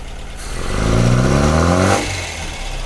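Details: 1985 Ford Fiesta that had sat a few months and wouldn't start, after the fault was found and fixed: fires promptly, revs up smoothly about a second, then drops to a steady idle; starts fine.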